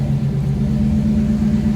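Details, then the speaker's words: 1991 GMC truck after fuel filter replacement, camera left near fuel pump: started without throttle, deep steady V8 idle with even pulse, no misses or knocks; purring well. "It's purring pretty good. What do you think? Think it sounds pretty good?"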